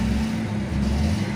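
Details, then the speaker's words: Maruti Suzuki (Ritz/Wagon R) with an immobilizer no-start, where the key light had been blinking. After disconnecting the negative battery cable for 5 minutes, the light stopped and the engine started properly. Steady, even low hum with no misses or knocks. Normal idle. "एक गाड़ी start हो चुकी है कि यह friends सबसे बढ़िया sir के लिए स्टे की गाड़ी प्रॉपर स्टार्ट हो चुकी है"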